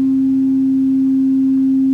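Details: Orange CR120 solid-state guitar amp, intermittent sound: a steady test tone crackles and breaks up when light pressure is put on one wire, a white connector pin pushed out of its socket.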